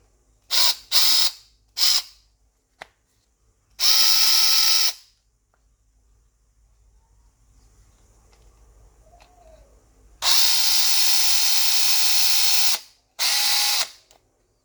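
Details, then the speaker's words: Makita DF333DWYE drill, new RS555 motor test-fitted to the gearbox before cleaning. Short bursts of a high, steady electric whir with an even gear hum, spinning up and stopping cleanly with no grinding; the gears mesh properly. "Ini sudah lancar ya teman-teman ya. Jadi area gearnya ini sudah bagus, sudah terpasang dengan baik."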